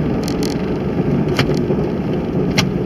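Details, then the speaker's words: 2003 Jeep Grand Cherokee Laredo 4.0 inline-six petrol on the highway: low, steady drivetrain growl under road noise, first heard in four-wheel drive, now in two-wheel drive after 10-15 miles; cause unknown (wheel bearing, U-joint, CV suspected). "that's the noise that i'm talking about well it was making that noise when it was in four-wheel drive the other day"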